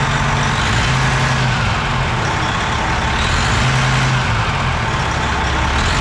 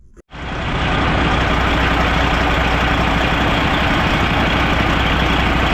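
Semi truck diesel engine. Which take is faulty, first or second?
second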